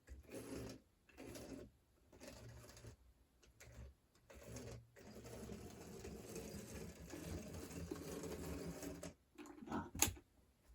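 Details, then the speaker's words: HO scale model locomotive (04) from an eBay lot, long unused, tested on track: small motor whirs in short bursts with stops and surges, never a smooth hum; uneven running, cause not confirmed. "I'll give this thing some power and it's it definitely wants to run as well I think a lot of the stuff's been sitting for a while"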